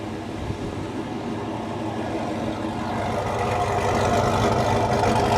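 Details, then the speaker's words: 2007 Chevy Tahoe V8 with Whipple supercharger add-on: engine climbs steadily from low rumble to louder even roar, no knocks or misfires; healthy revving. "Definitely like the way that sounds. Engine. Came out freaking awesome. I was really happy with the work."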